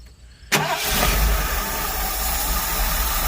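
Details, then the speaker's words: Motorhome engine for a rat rod build, fed from a gas tank through a 1/4-inch hose and fuel pump to the rail, starts cleanly on first crank and settles to steady even idle, "purrs like a kitten," no misses or knocks; normal start and idle. "Look at that. Purrs like a kitten. It's gonna run out of fuel here in a minute."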